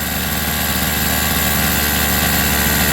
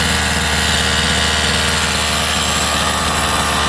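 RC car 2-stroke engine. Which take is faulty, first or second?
first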